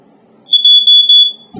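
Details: Statitrol SmokeGard 907A2 smoke alarm: three shrill high beeps of about a quarter second each, then a pause. Its pulsating alarm pattern, described as a 4/6 pattern.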